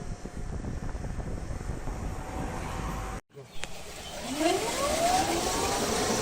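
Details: Electric golf cart after rewiring the electrical harness and replacing the motor controller; quiet running with a clean whine rising smoothly in pitch as the cart picks up speed; drive sounds healthy after repair.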